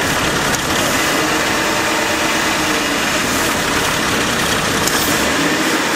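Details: AMC Eagle carbureted engine after nutter bypass, vac advance moved to manifold vacuum: busy fast idle that never settles. Owner suspects choke not adjusted (electric choke possibly on backwards) or a vacuum/intake manifold leak; any throttle goes full throttle.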